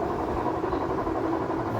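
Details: Whirlpool top-load washing machine: loud, constant rumbling roar with rough grinding throughout the spin cycle, recorded before the repair; worn drum bearing, which was replaced, after which the spin ran smooth and quiet.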